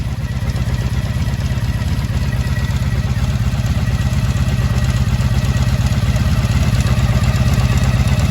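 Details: 1983 Honda V45 Sabre VF750S just after a fuel leak repair, choke partly off: an even, quick-pulsing V4 idle holding steady with no stumble or hunting, a healthy idle. No fuel leak is seen.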